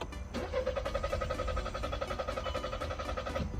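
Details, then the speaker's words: Used car that starts only at night and not in the daytime, despite new plugs, fuel pump and throttle cleaning: the starter cranks evenly at about four pulses a second and never catches; suspected leaking canister purge solenoid causing a rich condition. "看见没？的确打不着。"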